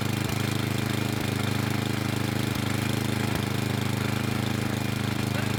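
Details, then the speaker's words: Craftsman snow blower with a Tecumseh engine, cold start, running on mid choke: a fast, steady single-cylinder beat with a slightly lumpy edge; not running quite right but not looking to stall. "I ran it on Midway choke for a little bit but you could still hear it's not run it wasn't running quite right but it wasn't looking to stall"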